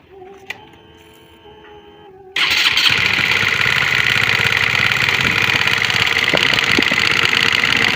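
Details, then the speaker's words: Honda CBR150R (K56) previously rebuilt elsewhere: starts on the button, then harsh idle with rapid metallic ticking at the cylinder head; mechanic suspects camshaft or rocker area worn or wrongly set. Valve train ticking. "bagian head sini adalah sangat kasar sekali suaranya KK Le seperti itu ya"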